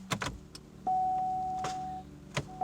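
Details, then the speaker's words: Pontiac Grand Am that won't crank: a few sharp single starter clicks with a warning chime and no crank. Dome light stays bright, so a weak battery isn't suspected; battery reads about 11.9 V. Starter click, no crank. "so you could hear that clicking i'm attempting to start it and that light stays nice and bright so i'm not suspecting a weak battery"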